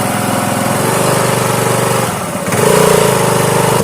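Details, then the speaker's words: Honda Activa scooter on its stand with poor pickup: revs unevenly with a brief rising squeal as throttle opens; CVT drive belt slipping in the variator because engine oil got onto it. "की है कि आवाज आ रही है। अंदर ही रहना है belt फिसल रही है।"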